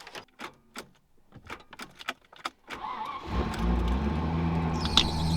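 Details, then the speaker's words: Land Rover Discovery 1 V8 cold start with a tired starter motor: quick cranking pulses, catches on the third try, then a thin belt squeal over the rough idle that still needs sorting. "Oh, listen to that belt squeal. That's one of the things we've got to sort."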